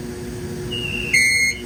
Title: Mickey Wrapper Squeaky Sound.